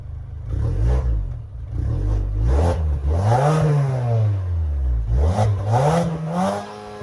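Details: 2022 Mazda CX-30 Carbon Edition with dual exhaust outlets, shown for its exhaust sound. The engine catches cleanly, then several smooth blips rise and fall evenly with a steady, clean exhaust note: a normal, healthy start and rev.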